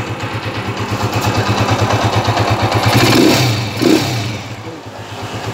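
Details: Honda TMX155 single-cylinder motorcycle after the timing gear was replaced (before, it ran noisy, rough and tinny) and the oil seal and oil rings were renewed. It idles evenly, revs up cleanly and settles, with no timing-side rattle; sounds healthy.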